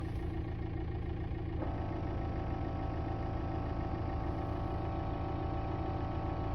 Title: 2006 VW TDI Jetta Knocking and Buzzing sounds behind Passenger side Dashboard￼